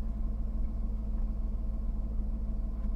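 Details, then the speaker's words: 2011 Jaguar XF Supercharged, 112,000 miles, first start at salvage auction: deep, steady low rumble at idle with an even pulse, no knocks or ticks; healthy normal idle. "she sounds like a beast doesn't she"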